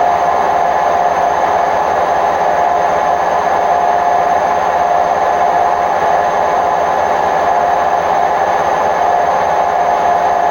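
Full-speed spin gives a heavy, even roar with a steady hum on top, typical of worn drum bearings.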